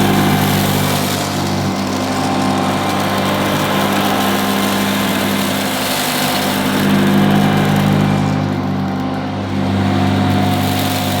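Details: 1977 Hoover Junior Deluxe upright vacuum: smooth, steady mid-pitched motor whir, no rattles or scraping; owner calls it the quietest Junior Deluxe/Starlight he's used; normal running.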